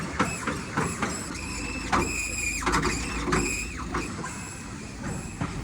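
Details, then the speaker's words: Mercedes-Benz M-Class W166 electric power steering rack seized, steering wheel won't turn at all: sharp knocks and short strained electric whines as the rack is forced. "Руль вообще не поворачивается. И оно издает вот такие звуки."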